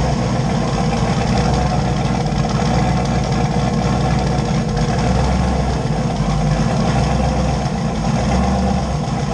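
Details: LS 5.3 V8 swapped Fox Mustang, first start after adding fuel (tank was dry, pumps ran dry), 60 psi fuel pressure on one pump: deep even rumble, steady idle with small throttle blips, no misfires or knocking.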